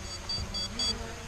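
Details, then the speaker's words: SG906 Beast drone on its first flight, coming down to land after going home on low battery. Short high beeps repeat three times in about a second over a soft motor hum: the low-battery warning. "You can hear it beeping away again. As soon as it hits low battery, it basically turns around, flies back and lands."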